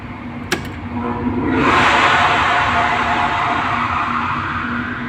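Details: AHU blower with an 11 kW motor and soft starter, tested with the belt fitted after repair of a fault where one phase was not reaching the motor: a click, then a steady, even rush of air over a low hum, running normally.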